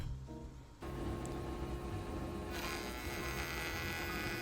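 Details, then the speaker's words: Router with a new bit making an outer diameter cut on a plywood clock frame: high buzzing whine turns rough and harsh, the bit overworking and fighting, then it rips out a piece; owner suspects the low-quality material; router labouring under load. "I already don't like the way this sounds. It sounds like the bit is doing a bit too much work and it's kind of fighting me."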